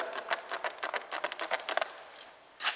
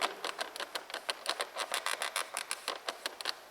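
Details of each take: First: Renault Duster driver's door inner handle trim after a noise fix (trim removed and treated): fingers pressing the handle give only short dry taps, no creak, unlike the noisy untreated door. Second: Renault Duster interior door handle decorative trim: sharp, dry plastic clicks and creaks, about five a second, when the handle is pressed. Finding: creaking interior door handle trim.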